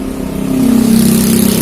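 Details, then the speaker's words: Yamaha Mio J scooter, freshly started at idle before teardown: rough, pulsing rattle over a low drone, resembling a loose valve but growing stronger; mechanic suspects a worn, loose cylinder block and piston/piston rings. "perhatikan suaranya teman-teman Itu sekilas ada seperti bunyi klep yang kendor atau pernah sekali kendor tapi suaranya makin tingkat semakin kuat ya ini curiga saya ke blog ataupun ke piston Ring yang sudah Lombok"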